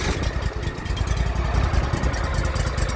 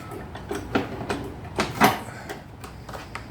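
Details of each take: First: Craftsman YTS3000 riding mower with a new hydraulic hose, belt possibly stretched and still to be replaced: the small single-cylinder starts readily and settles into a steady, even chuffing idle with no knocks or misses. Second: Craftsman YTS3000 lawn tractor single-cylinder engine: cranks, catches, then idles with an uneven beat and an occasional hiccup; owner suspects the carburetor and a replacement is coming.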